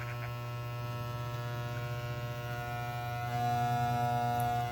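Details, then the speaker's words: Soling Barber Pro Chrome clipper after backing off blade tension on the adjustment pin: steady, even buzz with clean low hum, no rattle or bogging when a finger loads the blade; now properly adjusted. "Olha agora, ela não faz mais barulho. Então, agora sim, a nossa máquina está regulada, tá, gente?"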